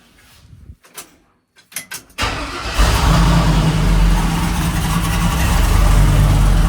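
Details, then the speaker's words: 1974 Jeep J10 with LS-swapped 4.8 V8 after replacing broken No. 7 connecting rod and piston (reused rings and bearings), new head gasket; runs with MAP sensor disconnected. Few clicks, then smooth, even, quiet idle with no rattle or knock: normal idle. "Truck sounds good, it's nice and quiet, no rattle. I am very pleased."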